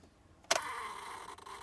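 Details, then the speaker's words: 2006 Honda Odyssey no crank: click, about a second of steady buzz from starter or ignition solenoid, another click, engine never turns; starter already replaced, ignition switch part found to be the fix. "other times get a little bit of a buzz coming from the starter or ignition solenoid sometimes swapping the key over will help to get started"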